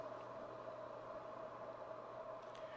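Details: Panasonic Lumix G85 before firmware 1.2 update: steady mid-pitched hum with a faint low drone from the in-body image stabilization; update reduces it.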